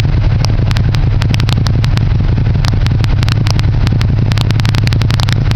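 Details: Suzuki Gladius with a Two Brothers exhaust: a loud deep burble with irregular sharp crackles and pops, a few per second, over the running engine; cause of the crackling unknown.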